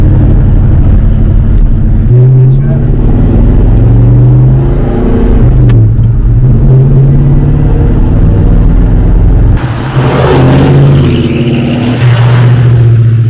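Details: 1971 Ford Torino GT small-block, 3-speed, on a test drive after no-start fix and repairs: strong, steady engine drone that swells smoothly with throttle, no knocks or squeals; pulling healthily, needs only an alignment.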